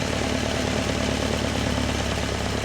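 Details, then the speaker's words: Alfa Romeo Spider after head re-tensioning, with individual mixture screws on each cylinder: fast, busy engine drone turning ragged and uneven as one mixture screw is turned until it runs rough, before backing off to the sweet spot. "we adjust the mixture screw we turn it until the engine starts to run rough"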